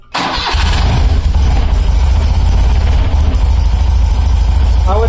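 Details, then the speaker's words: BMW R90 airhead twin after fitting a dual-post Enduralast 3-ohm coil with electronic ignition, started on choke in neutral: quick crank, catches, then a steady, even low thrum firing on both cylinders. Normal start and idle; coil conversion appears successful. "would say it's starting and it's running and it seems to be firing on both cylinders"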